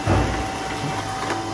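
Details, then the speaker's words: Canon MF3010 printer that used to pick up two sheets at once; after the pickup repair, a quiet hum with a couple of light tacks as one sheet is fed, the tacks being the feed relay, paper feeding like new: normal paper feed. "Paper तान्ने प्रोसेसमा चाहिँ कुनै पनि problem छैन नयाँमा जस्तो प्रिन्टरले जसरी काम गर्थ्यो त्यस्तै नै भइसकेको छ"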